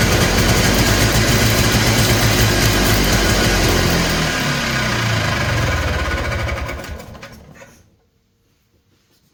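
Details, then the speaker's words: Polaris Trail Boss 250 two-stroke, just revived, choked: revs crisply, then sags and dies within seconds as the throttle closes, unable to hold idle. The owner suspects a plugged carburetor idle circuit; the cause is not confirmed. "oh oh a just as I thought that idle circuit's not working probably because it's still plugged up"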